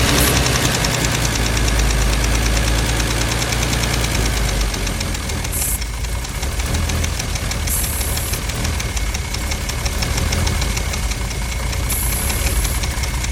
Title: W114 280ce rough idle spraying starter fluid